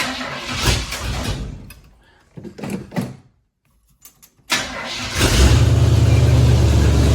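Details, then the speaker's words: Blazer after exhaust repair, idle raised: engine catches after a few cranks, settles into a loud raspy idle with fast puffing tick, an exhaust manifold leak still present on the other side; recorded in a garage. "It's pretty loud. A bit louder than I thought it would be. We seem to have a a leak on the on this side also."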